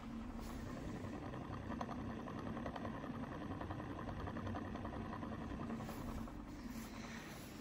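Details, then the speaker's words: Cheap Brio plastic stand fan, broken and initially seized, running: steady low hum with a rough, irregular ticking rattle throughout and wobbling; noisy fan. "Oh dear, it looks like it's seized. There we go. Yeah, that does not sound good at all."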